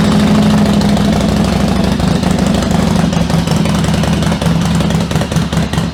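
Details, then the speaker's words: 1996 Yamaha XV750 Virago bobber after a single-carb conversion, running cold on the choke levers: an uneven, lumpy twin beat settles into a fast steady idle while it warms up. Normal cold running. "So I do have access to the little choke levers, so I'll chuck them on."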